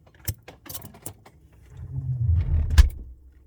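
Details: Samsung Bespoke refrigerator noise: several sharp metallic jangling clicks, then a low hum swelling for about a second; fridge rattles, cause not clear.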